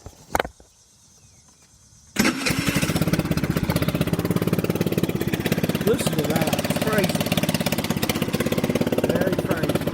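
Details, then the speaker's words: 2020 Chinese 50cc scooter with a shop-installed 80cc big bore kit, suspected poorly done: engine catches after a few quiet seconds, then a loud, rapid, harsh popping run, sounding like a 250cc; excessively loud running, cause not confirmed. "But I'm going to crank this up, and it sounds like, it's so loud, it sounds like a 250cc."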